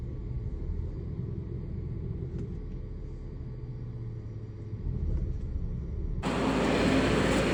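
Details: Uneven lumpy idle rumble with loud air hiss near the end; PCV leak causing incorrect air-fuel mixture, misfires, rough running, lost power, EPC and check engine lights on.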